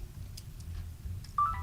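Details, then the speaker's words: Panasonic Lumix DMC-FH27 compact camera with stuck lens, switched on: faint whirr and a couple of soft clicks, then a short beep, and the lens does not come out; lens likely jammed. "This is the DMC FH27, and the problem with it is that the lens is stuck, right? So if I turn it on,"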